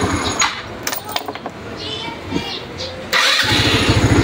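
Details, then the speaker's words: Rusi Rapid motorcycle after repair of idle that kept dying: engine catches first try and settles to steady even idle without throttle; no longer stalls when released, idle RPM now higher. "Hindi na siya namamatay mas aggressive pa yung RPM ngayon hindi na siya namamatay"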